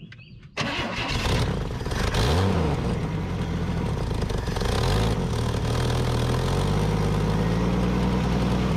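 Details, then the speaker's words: Junkyard Chevy LUV camper, long unrun, after fuel system cleaning and new fuel hose: engine catches straight away, revs briefly, then settles into steady even running with no knocks or misses; throttle sticking, not tuned up. "go baby holy C dude this thing is a ripper for real"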